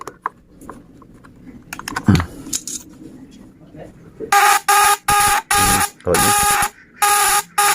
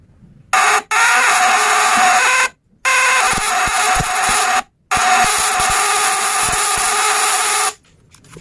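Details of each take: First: Homemade fish-stunner with a contact-breaker (platina) vibrator, powered by a battery: under load, loud bursts of harsh high buzzing, about half a second each with short gaps, differing from the no-load sound; normal working buzz. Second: Contact-breaker (platina) fish shocker, light setting: three bursts of sharp, loud high buzzing from the points, small spark; breaker still misadjusted.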